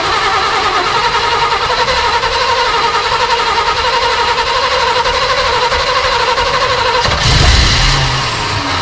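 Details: Off-road recovery tow truck after wiring rework, multiple fixes and a new carburetor, still untuned: several seconds of steady cranking whir, then the engine catches with a deeper roar and settles. It fires up and runs.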